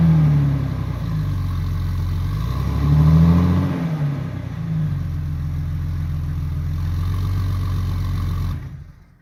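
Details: 2000 Jeep Cherokee XJ 4.0L straight six with newly installed MBRP stainless cat-back exhaust: deep smooth note blipping once then settling to steady idle, no ticking or puffing leaks; healthy.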